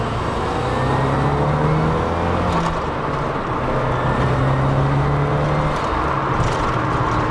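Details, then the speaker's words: Nissan Silvia S15 Spec R with turbo SR20 and 6-speed pulls cleanly through the revs under hard acceleration on an off-ramp, boost audibly kicking in, no knocks or rattles; healthy engine. "Yeah, definitely it gets through the RPMs really good, as you would expect from an SR20. I hit on this off ramp here. I can definitely feel, you can hear the boost kicking in too, which is really nice."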